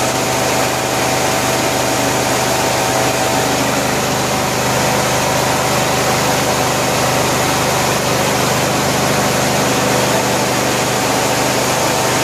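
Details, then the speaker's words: 1974 Cushman Truckster Haulster after rewiring, running once the fuel tank was pressurized with air to push fuel to the filter: a steady, even idle with no knocks, misses or hunting. The engine sounds healthy. "well it is great to hear it run again it's been a while glad it runs"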